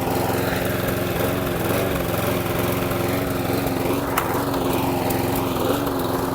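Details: Hayter Hunter 46 petrol lawn mower, a neglected spares-or-repairs machine, runs at steady even speed with smooth firing beat, no trouble; normal running.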